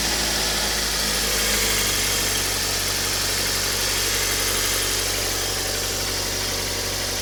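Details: Kia Cerato idling with engine knock: a fast, fairly regular tapping at about four per second over a hissy engine note; cause unknown.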